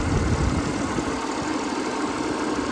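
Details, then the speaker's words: 2003 Audi A6 that sat for years with old fuel, jump-started, with a K&N air filter, at idle: a steady, smooth low hum with no knocks, ticks or misses; sounds healthy. "sounds good my uncle put a K&N filter in it back years ago when he bought the car"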